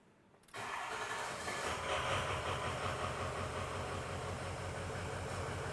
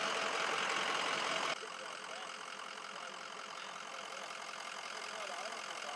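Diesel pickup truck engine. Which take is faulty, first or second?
first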